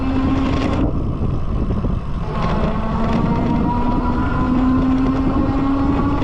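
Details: Lectric XP 2.0 e-bike while riding: steady mid-pitched whining hum under wind rush, wavering with speed; abnormal drive noise, cause unclear.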